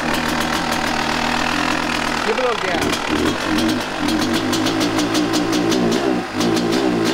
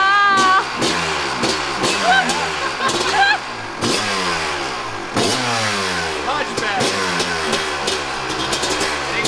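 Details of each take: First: 1998 Kawasaki KX250 two-stroke, rebuilt but running poorly, before repair, started on held choke: idle hangs high and wanders with throttle shut; air leak suspected past crankcase seals; high idle. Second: 1998 Kawasaki KX250 two-stroke, fully rebuilt top and bottom end but ran poorly, after case split, reseal and reassembly: kick start, crisp buzz rising and falling cleanly with throttle blips before settling; normal start and idle.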